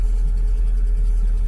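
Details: Lada Largus just after a cold start: steady low idle rumble with an even, unhurried beat, nothing knocking or ticking; oil warning lamp went out, clean idle.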